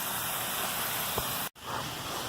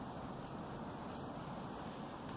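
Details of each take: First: Residential sprinkler zone after broken riser repairs, run by the anti-siphon valve knob: steady even spray hiss with much more pressure, then cut off abruptly to a fainter wash of water; back to normal. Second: Residential sprinkler zone turned on by the anti-siphon valve's manual solenoid knob after one riser repair: soft weak hiss of spray with no surge; water pressure too low, another broken riser leaking, found later.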